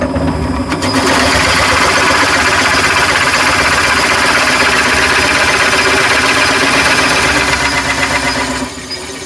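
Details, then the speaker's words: Nova Viking drill press in self-start mode, depth set to 10 mm, motor auto-starting as bit is lowered: kicks in near one second, even steady cutting roar about seven seconds, then drops away; normal drilling run. "So now when I lower the drill bit 7 mil it will automatically start on and when I let it go it will stop."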